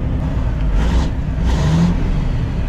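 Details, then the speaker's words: Kenworth Texas bed truck, Caterpillar diesel, revived after fuel system priming and throttle linkage lubed: deep strong rumble swelling smoothly through two throttle blips, no knocks or misses; sounds good. "man it sounds good America ain't nothing like a Caterpillar engine it sounds man"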